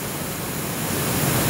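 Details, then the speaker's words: Roland MX-1 at full master and monitor volume, recorded by an Audio Technica AT2020 USB mic near the monitor with room noise: steady, even hiss, no hum or crackle, from unconnected output 5/6; analog noise floor fairly mild. "now the output 56 is not connected currently and white noise not too bad considering the extreme conditions of full volume everywhere"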